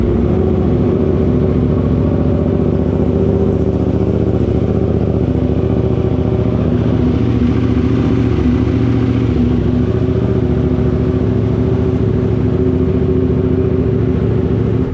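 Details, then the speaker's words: KTM 890 Duke R twin just after a Speedbox Stage I camshaft install: it fires right up and runs smooth and even with steady revs and no ticking or chain rattle, so the valving and timing sound correct and the cam chain tensioner is silent. Normal running. "Honestly, to my surprise, it fired right up and there's not a single sound. It's purring along like a kitten and everything's good."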